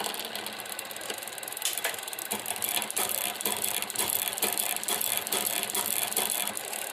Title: Tern Verge P20, post-cleaning rattling noise in derailleur